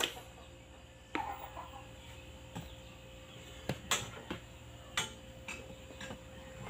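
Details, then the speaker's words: Panatone CRT TV after the rattling internal part causing a whistle was fixed with dried silicone sealant: runs quietly with only a low steady hum and no high whistle, chickens clucking nearby; normal operation. "So, wala na ang sumisipol pati dito."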